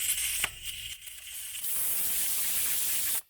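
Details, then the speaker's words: ARB valve-stem tire deflator on a tire: after a brief dip, loud steady full hiss of escaping air once plunger is turned enough to fully unseat the valve core; deflating properly. "hear that difference so we just have to make sure we turn that plunger enough turns to fully unseat the valve stem core from the valve stem body and that's it we're now aired down"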